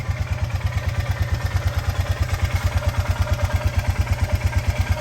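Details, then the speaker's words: 2002 Honda Rubicon 500 ATV, just revived after fuel tank cleaning, unplugged petcock, fluids topped off and new battery, suspension twisted from trailer abuse: steady, evenly spaced thumping idle, about three pulses a second, no stumbling; it idles fine. "It's the idle, all right."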